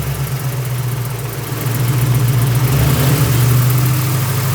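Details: 1999 Mustang GT, built 4.6 4V, T-56 Magnum, McLeod RXT twin-disc clutch, aluminium flywheel, drivetrain under 60 miles old: steady idle with light regular tick-rattle about four per second; clutch or worse suspected.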